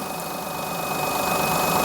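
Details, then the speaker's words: Perodua Kenari small petrol engine after drive belt tension adjustment: smooth idle with faint steady high tone and slight rise in revs, no knocking; idle control sometimes slightly variable, sounds fine. "that sounds all right I think we're good"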